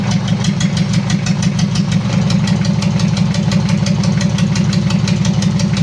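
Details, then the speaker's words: Mitsubishi L300 diesel, post-2010, just overhauled with a 12 mm rotor head upgrade, first start; uneven limping idle about two pulses a second, misfire blamed on a leak found there, oil pressure 4 bar at idle. "Oke Lur sudah hidup untuk mesinnya Tapi ada kendala pincang"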